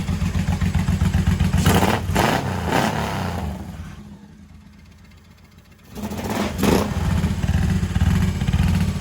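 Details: 1985 Honda VT1100 Shadow, first run in 25 years after carb work. Lumpy V-twin revs up, drops to a quiet idle and picks back up cleanly. Sounds healthy and responsive; normal running.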